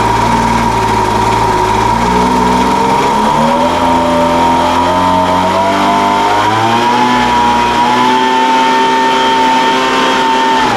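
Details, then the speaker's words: Craftsman 200mph two-stroke leaf blower, flip project, just running again after carburetor work, possibly long unused, carburetor acting a little funny; steady high buzz, pitch drifting briefly then settling even and clean, normal running. "all right well that sounds pretty good I mean it runs now at least that's a big step right"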